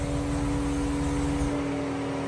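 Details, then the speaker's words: Car with a large coolant leak and multiple misfire codes: steady cooling-fan whir with a fixed low tone that drops away midway; fan runs on from a coolant pressure fault, engine shut off to protect the coolant pump. "Right now, you hear the fan on because there's a coolant pressure problem because obviously we have a crazy coolant leak."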